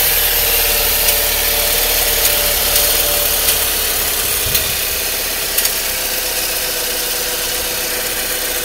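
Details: Saab 9-3 at 122,000 miles: rough, tractor-like idle with a light, fairly regular tick at about three to four per second. The ticking is concerning; source undetermined. Engine ticking at idle.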